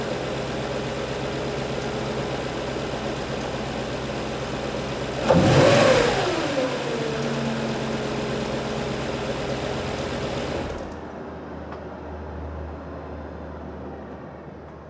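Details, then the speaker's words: 2005 Audi S4 B6 4.2L V8, 143,000 miles, cold morning start with a blip, after an earlier ticking fix; light even tick about four a second at idle, suspected timing chain tensioner/guide wear, louder when hot. "okay that was a cold engine in the morning starting up I'll do this again ler later with a hot engine and you'll hear the louder ticking at idle"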